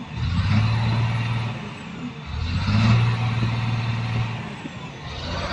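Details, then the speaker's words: CAT 950H wheel loader diesel with hard starting, idling: heavy, rough, uneven idle, swelling and sagging. Misfire because the number two injector is not working; the monitor shows no error. "Sound is same as a misfiring because of number two injector is not functioning."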